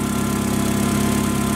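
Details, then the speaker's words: Caterpillar V50D forklift with hard cold starting; after reseating a spark plug wire that was not fully reaching the plug on a non-contributing cylinder, steady low idle with fairly even pulse, runs better though not perfectly smooth; improved idle. "putting the buug and that with sooner this is actually running better right now you don't hear that M Wire"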